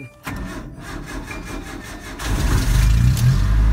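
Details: Truck that would not start, with the distributor suspected; it was actually out of fuel because of a broken gas gauge, and was refuelled and primed: cranks briefly, catches quickly and settles into a steady, even idle.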